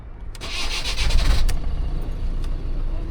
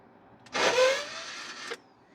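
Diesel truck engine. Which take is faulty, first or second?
second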